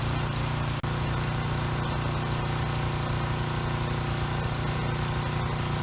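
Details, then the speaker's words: Coleman Powermate Pulse 1850 generator, which surged over a year ago, after carburetor cleaning and new fuel lines, fuel filter and recoil rope, running with air box refitted, mixture screw two and a quarter turns out: smooth, even single-cylinder note, no hunting or surging; normal running. "okay good in this case it really didn't need any adjustment you know with or without the filter it seemed to be at the same setting"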